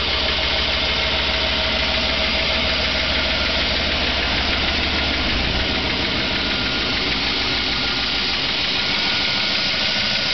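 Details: 2008 Chevrolet Avalanche V8 cold start at about 15° ambient in a garage, idling with a steady knock of about three a second, seeming worse under the wheel well; the owner has reported it to the dealer.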